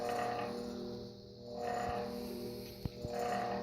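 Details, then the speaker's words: 56-inch Airmaster ceiling fan in poor mechanical condition; one side of the motor housing was loosened to stop scraping, so it spins freely but runs loud with a steady humming whir and clear tones that swell and fade slightly: noise from the loosened housing. "I loosened up side of the motor housing, which is probably one of the main reasons why it's so loud. If it was tight on all sides, it wouldn't even move. But now it spins nice and freely, but it's very noisy."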